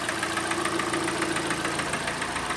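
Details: Kia Sportage G4NA 2.0, about 134,000 km: heavy, rapid, regular metallic knocking over idle; piston slap from worn pistons and bores, with bearing wear too.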